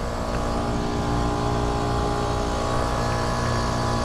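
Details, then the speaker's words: HVAC system revisited a year after refrigerant was replaced with virgin Freon, same problems returning: loud heavy steady drone with rough low rumble and faint irregular throb; compressor sounds labored, as if about to trip on high head pressure; cause not confirmed. "as y'all can hear this thing sounds like it's about to go out on high head pressure"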